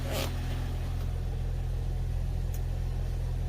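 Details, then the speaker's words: 2001 Jeep Cherokee TJ 4.0 six, cold start at 39°F, a couple of minutes in, after a Restore additive fix: smooth steady idle with no chatter or knock, where it previously chattered loudly; clutch makes a little noise. "right now it would normally be chattering quite loud my clutch makes a little noise"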